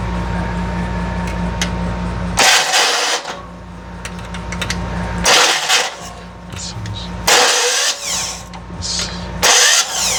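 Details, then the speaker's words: Rebuilt FC engine first start attempt: harsh grinding bursts on each crank, engine never catching; starter drive not meshing cleanly with flywheel, fixed by fitting a different starter and solenoid. "Your gears, sounds like you're grinding the heck out of the Yep. There. gears."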